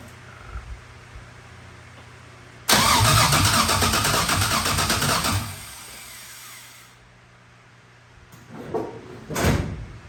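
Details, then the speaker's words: 1988 Chevrolet C30 with LS V8 swap, first startup attempt: starter cranks evenly about three seconds but never catches; test light shows no spark, owner suspects cam position or TPS sensor or computer not VATS deleted. "So usually that means cam position sensor or TPS sensor is bad with no spark, or that computer is not VATS deleted."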